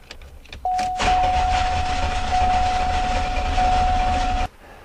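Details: Oldsmobile 98 Royale, possibly 1991 or 1992, cranked with a voltmeter checking for a command; steady cranking for about three and a half seconds with a whining tone, never catches; crank no-start.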